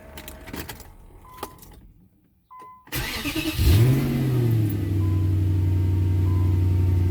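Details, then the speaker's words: 2003 Infiniti M45 cold start after rear hub bearing replacement: brief crank, catches quickly, flares up and settles into a smooth, steady fast idle with no misfire or rattle; normal cold start. "Damn, she sounds good."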